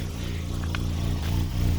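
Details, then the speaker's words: Rental car with the check engine light on; cam or crank sensor suspected, not confirmed: low idle that lopes and surges unevenly instead of holding a steady beat; rough idle. "listen to it you can hear that this is not running right"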